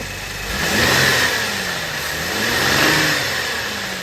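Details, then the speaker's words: Cadillac CTS engine revved twice after refilling with oil; it had run out of oil because a pinched or misseated oil filter housing O-ring leaked after an oil change. Faint rumble and knock persist under the revs; bearing noise remains, quieter than before. "And it ran this car out of oil. It was making a lot of bearing noise. It's quieter now that we got oil in it, but I can still hear it."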